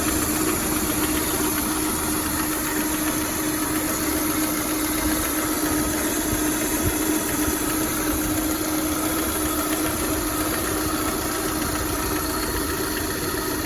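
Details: VAZ 21124 engine at idle: a steady idle with a light, fairly regular knock tapping over the hum; the owner asks what the knock is, and its source can't be pinned down by ear.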